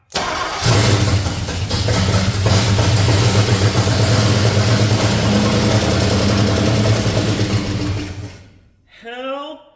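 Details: Chevrolet C30 truck small-block that sat outside about two years, first start on borrowed ignition parts with fuel poured in: fires within a second and settles into a steady, even idle until shut off; running normally.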